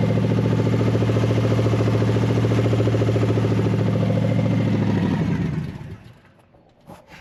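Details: Barn-find big-block V8, after fuel was added to the fuel bowl: settles into a steady, even lope with a deep low rumble for several seconds before shutting down; sounds healthy.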